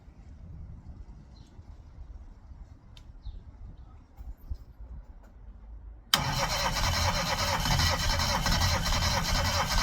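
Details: Classic Mini first start attempt after 12 years, engine known to have low compression: sudden loud fast churning crank that never settles into an even run and won't fire, coming close before it later starts.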